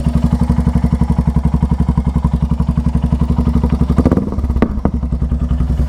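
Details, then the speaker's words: Royal Enfield Hunter 350 at idle when engine hot: single-cylinder thumping with quick, fairly regular metallic clatter on each beat; owner suspects timing chain noise, unconfirmed. "Engine से भाई cut cut cut की बहुत आवाज आती हैद timing के timing चैन की भाई बहुत ही बेकार आवाज करती है यार कट कट कट कट करती है"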